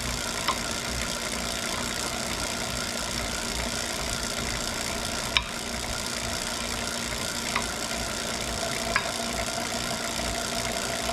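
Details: Wahoo Kickr Core bike trainer under load: a few sharp, irregular knocks a couple of seconds apart over a steady whirring hiss. Abnormal knocking noise, cause unknown.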